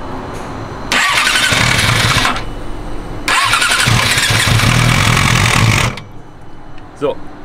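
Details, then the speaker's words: Yamaha R6 RJ11 as brought in by the customer, before repair: starts and revs in two bursts with a harsh, brutal metallic clatter clearly coming from the cylinder head; valves striking the pistons. "das hört sich ganz brutalst an da brauche ich eigentlich nicht mehr besonders viel zu sagen fakt ist die geräusche kommen definitiver aus dem kopfbereich"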